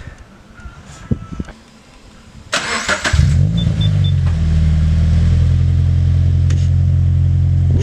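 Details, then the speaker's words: FRS on its first start after an Invidia N1 catback exhaust install, semi-cold start, checking for exhaust leaks. Starter whirs briefly, then a deep, steady, even idle that is louder than before; normal start with no leak ticking. "It's definitely louder. It's very deep."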